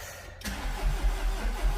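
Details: Mercedes cranking: a steady low starter churn at about five compression pulses a second that never catches; crank no start with no fuel to the rail and missing crank sensor engine speed data; a crankshaft sensor fault is suspected, not confirmed.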